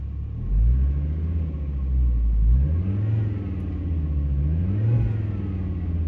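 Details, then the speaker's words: 2002 Volvo V70 2.4T after cleaning the electronic throttle body and sensors following limp mode with P0068/P0221: clean throttle blips, revs rise and fall smoothly with no stumble or misfire; engine sounds perfect, no leaks. "actually sounds perfect. It actually sounds better than it did today."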